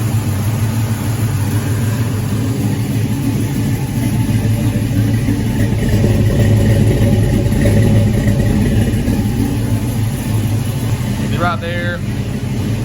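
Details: 1984 Chevy K10 V8 with Holley Sniper fuel injection, first start after fuel lines were redone, idle air control 35, TPS zero: low, even burble, no knocks, misses or surging; normal idle.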